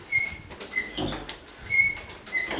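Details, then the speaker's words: Condo door checked before painting: high, thin squeaks with each swing as it opens and closes, from between the hinge knuckles, not the door rubbing wood; dry hinge needs grease. "that that's because in between the knuckles somewhere it's it's doing that it's not hitting the wood or anything"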